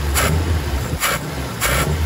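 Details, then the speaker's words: Mazda Interplay carbureted petrol engine, hard to idle, thirsty, weak pull: low idle with throttle blips that dip briefly before picking up, accelerator pump held in during snap throttle; the pause shows the primary circuit is not running rich. "Ini kalau digas kejut terjadi jeda, nah artinya itu di bagian primer tidak kelebihan bensin."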